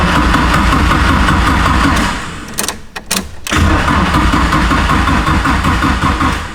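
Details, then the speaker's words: Nissan-engined Mazda Miata engine swap on first start: engine catches, then sags and sputters about a second before recovering. Owner suspects ignition timing. "I heard it like pop once. Yeah, it popped once. Oh, it wants it. It wants it. It wants it bad. Yeah, okay, so it's the ignition timing."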